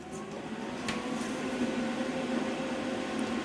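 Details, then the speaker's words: New Vulcan MigMax 215 240V MIG welder from Harbor Freight switched on, factory drive-roll tension: quiet steady whirring hum with faint constant tone, no rattle or scraping, louder than the old Lincoln; normal cooling fan running. "definitely louder than the lincoln"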